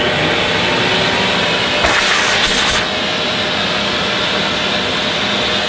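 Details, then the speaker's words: Hoover Sensotronic System 3 S3132 vacuum cleaner (launched 1982) with power hose and remote control, started from the remote handle on setting one (full setting five is 1,000 watts). Steady high whoosh with a brief airflow burst. Normal running. "but to be honest that is not that's not bad as I said they weren't fantastic when they were brand new"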